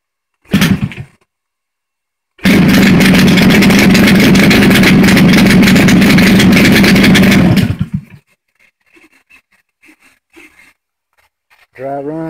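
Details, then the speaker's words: JC EVO 120 first start after minor head tune-up, smelling wet, throttle previously set too low; engine catches and holds a steady, even beat about five seconds, familiar timing sound; normal running. "There she goes. Ooh, like that sound. That's that timing sound that it had before."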